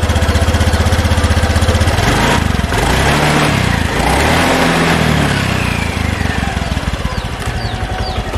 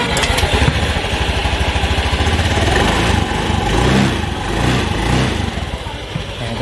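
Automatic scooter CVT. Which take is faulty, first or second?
second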